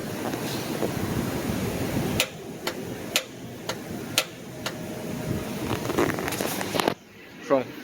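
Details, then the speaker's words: 1998 Isuzu Rodeo: sharp single solenoid clicks about twice a second with no cranking whir. The bendix gear extends toward the flywheel but the starter motor will not spin; failed starter. "that was the starter motor clicking bringing out the bendix which is the gear that connects to the flywheel um it's coming out but it will not spin"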